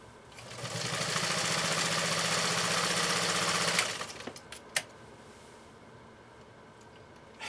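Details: Vintage Brother 1241 sewing machine stitching through three layers of genuine cowhide: fast steady stitching chatter about four per second, no labouring or knocking — normal operation under heavy load.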